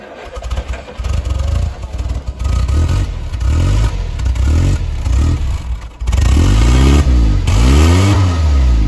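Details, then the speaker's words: Land Rover Series 3 109 LWB, 2.25 petrol four-cylinder, first start after 15+ years sitting outside; points cleaned, fuel primed with lift pump: cranks, catches and settles into a lumpy but steady low rumble that swells with throttle; running again. "i'm very happy without the car running in the end not bad for 15 years of sitting on somebody's driveway"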